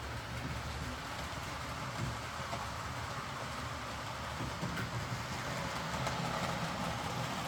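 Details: Hornby R.372 Class A4 "Seagull" tender-drive model loco after repair: stop-start running likely from excess axle oil spoiling pickup; even running with soft regular clickety rhythm, no grinding or stutter, runs smoothly and quietly.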